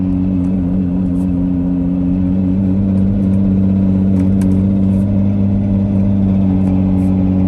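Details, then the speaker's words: 2006 Nissan Murano SL 3.5L in limp mode, slightly warmed up, driving on main road: heavy low flat drone with no clean rise in pitch, bogging and hesitating under acceleration; sounds serious, cause not confirmed. "That definitely does not sound good. I did not even want to attempt to just drive it fast at all, because whatever that is, it sounds serious, and it also sounds like it literally wants to break for me"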